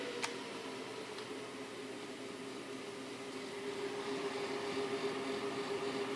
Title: 7950 strange fan sound